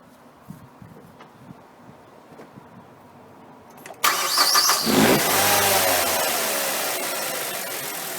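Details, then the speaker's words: Mazda 6 2.0 petrol, previously rough and erratic idle with high fuel use, restarted after cleaning throttle body, gasket and MAF sensor: cranks briefly, catches, flares, then settles into a smooth steady idle, better than expected. "well it started okay it's actually ticking over better than I thought"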